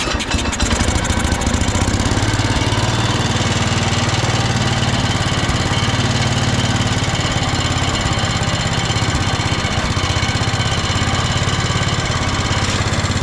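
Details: Old Cub Cadet 106 garden tractor, rescued from scrap after years sitting, belt-wound pull start and run on choke: even, steady single-cylinder putter at constant idle, no misses or knocks, running cleanly.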